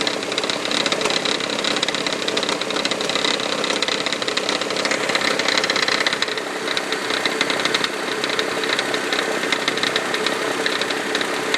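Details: 1999 Toyota Sienna V6 idling just after start: light, uneven metallic tapping about three a second from the top end, as if something hits the valve cover; began after fitting six NGK iridium plugs and an oil change, also heard around 2300 rpm driving.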